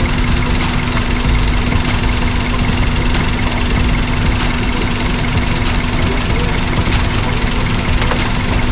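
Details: Daihatsu Sirion with the check engine light on: rough, uneven idle with a faint tick about every second, consistent with a misfire; injector number one wiring is being checked, ECM or wiring is suspected, and the cause is not confirmed.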